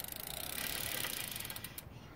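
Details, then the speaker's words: 2017 Trek 1.1 road bike rear rim brake after removing a metal chunk stuck in the pad: spinning wheel with light hiss and freewheel ticks slowing down; earlier loud grinding gone, brake sounds normal. "That right there did not sound bad. I mean, it was like grinding before. It was very loud."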